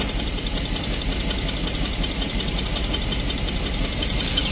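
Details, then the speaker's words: 1972 Barth motorhome, first run after about 15 years sitting, just after a new fuel filter and hose clamps: continuous even idle with steady low rumble and hiss, no stalling or hunting; engine now idles on its own. "There we go, idling on her own."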